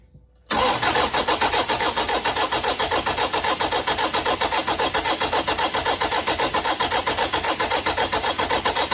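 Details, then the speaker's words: 1KD-FTV diesel first start right after a full new injector kit: short crank, quick catch into steady, even clatter at roughly 220 beats a minute; normal diesel start. "and once again this is what it should sound like after the injectors when you go to crank it"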